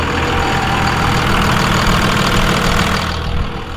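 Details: Diesel just restarted after injector lines were cracked and primed by the lift pump; lumpy, uneven idle slowly steadying out and sounding better as air clears from the injection lines.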